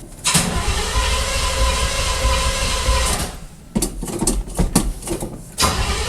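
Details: Oldsmobile 350 Rocket V8 in a square-body truck, first start after carb rebuild, plug gapping and oil filter change: brief starter grind, then loud fairly even idle; fuel leak found afterward; normal cold start.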